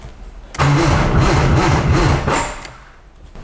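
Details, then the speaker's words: 1995 BMW E36 M3 that sat two years, with a new fuel pump relay fitted: the starter turns about two seconds at roughly four labored beats a second with no catch. The battery is too low and needs charging. "needs to charge up some more all right we got the battery charged up let's see if it turns on this time"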